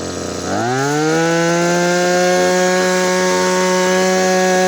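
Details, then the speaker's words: Maruyama CBC20 two-stroke brush cutter after rebuild with new crankshaft bearings, rod in good condition, tested without the clutch fitted: buzz climbs quickly then holds a clean, steady high pitch without wavering or rattles; normal revving. "สตาร์ทเสียงเครื่องก็จะเงียบไปเลยนะครับเพราะว่าเราเปลี่ยนลูกปืนข้อเหวี่ยงด้วยแล้วก็ก้านของตัวเนี้ยมันมันสภาพมันดีครับมันก็เลยมีเสียงนิ่งๆแบบนี้ได้นะครับมาลองเลงเครื่องดูนะครับ"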